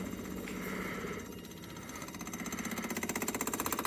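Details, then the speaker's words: 1985 Toyota Tercel 4WD wagon, key on after correcting a botched trail fix on the fuel pump; now the filter sits before the pump with flow the right way. A fast pulsing buzz builds and steadies as the pump primes normally. "The sound is changing. I don't know if that's a good thing or not."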